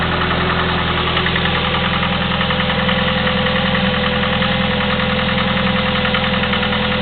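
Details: Chevy S-10 2.2L, 154K miles, ticking for the last 45K, Flowmaster 40 exhaust: even idle with quick steady top-end ticking about two a second over deep exhaust drone, likely valve train.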